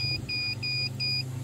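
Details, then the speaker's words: CB radio coax tested with a multimeter on continuity: repeated steady high-pitched beeps over a low hum show the centre conductor shorted to the shield, causing the high SWR reading. "okay that noise is telling me that it's shorted"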